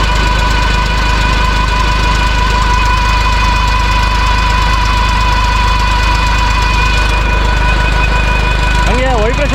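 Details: Diesel engine driving a new four-stage Doctor PTO pump (96 m head, 15 L/s) for coffee and arecanut sprinkler irrigation: deep, steady drone with a constant hum, holding even speed under pump load; normal running.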